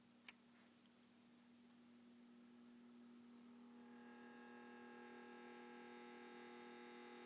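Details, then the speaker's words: Sony TC-K590 cassette deck, capstan motor runs whenever powered: after power click a thin whine with stacked high tones swells and holds; noisy worn capstan motor needs replacing. "so you can hear the racket that's making I would suggest that definitely needs replacing"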